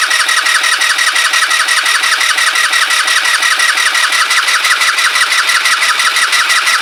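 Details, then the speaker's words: Kymco Agility 125 scooter, first start attempt after refitting wheel and exhaust, carb likely empty, disconnected vacuum pipe plugged: steady fast cranking about three beats a second, never fires; owner suspects no spark, not yet checked. "didn't feel like he's got a spark does it right I've got I need to find where that vacuum pipe goes and I'm going to check for spark then we'll come back"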